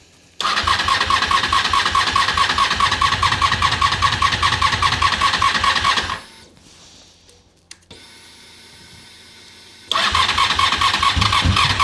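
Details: Honda RC45 RVF750, first start after new spark plugs (old ones very bad) and injectors tested leak-free: fires up cleanly, settles into a crisp even run with sharp revs, restarts quickly; sounds healthy.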